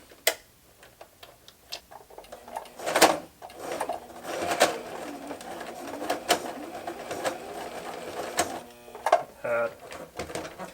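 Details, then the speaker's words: Sewing machine with the top thread misthreaded with no tension, plus a very large needle. Rapid needle clatter with uneven knocks and scraping instead of a smooth purr; rough running caused by user misthreading. "doesn't sound good yeah okay so there's no tension on the top oh Jesus I should have checked to see how it was threaded first time"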